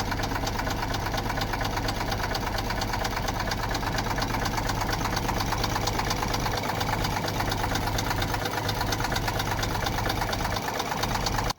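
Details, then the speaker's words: 2001 International 4700 rollback diesel just started cold: rough, uneven idle clatter around two beats a second, a misfire present only when cold that goes away once warm; scanner shows an ICP sensor problem. "pueden escuchar pueden escuchar un Miss fire que ella tiene la acabo de prender ella fría es lo único que yo le encontré que cuando está fría tiene un misfire pero Tan pronto calienta se le va el misfire"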